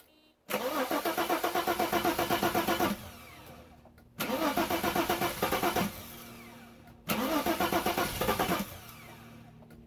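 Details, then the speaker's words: Bitter SC (SC 377), Bosch L-Jetronic fuel injection, before the repair, while the owner chases ground issues and the temperature-sensor circuit. Three cranking bursts of about two seconds each at roughly four turns a second, with no clean catch: a long crank and hard start. "my impression is that when the car has run once it will start normally without any cranking and multiple frames"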